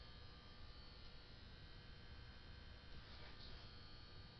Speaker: Oh, now every spark that thing makes has got to be interfering with this by creating some sort of radio frequency or something, and it's picking it up and producing static noise.